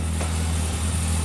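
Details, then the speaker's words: Gemini project car, first start after months of work, new fuel system and Haltech engine management on a basic start map: steady deep idle with an even low hum, no knocks or misses; normal idle. "And just sounds good. It sounds really good, actually, doesn't it?"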